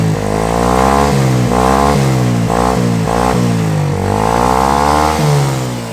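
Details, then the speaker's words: Tao Tao ATM50-A1 50cc scooter with a weak battery, started on a jump box: revs up and down in quick bursts with a clean, crisp exhaust note and no knocks or rattles; healthy running. "We'll see if she'll start now. Very nice. Listen to that exhaust."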